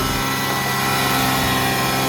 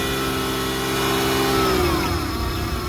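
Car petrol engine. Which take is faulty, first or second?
first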